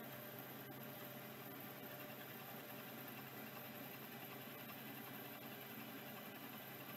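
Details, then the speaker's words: Late-model Singapore-made 6426S vintage hard drive: quiet steady spindle whir with a few faint light ticks, no grinding or squeal; appears to be working, spinning smoothly. "that one might be working really nice quiet spindle on this one too"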